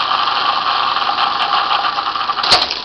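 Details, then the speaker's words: Refurbished Dokorder 8010A reel-to-reel deck rewinding a full duplicated tape after duplication is switched off: steady high-pitched whir of tape spooling amazingly fast, even throughout, brief clunk near the end; normal fast rewind. "i think that's why he put such a fast rewind on these units too because of this process you have to go through because this is amazingly fast"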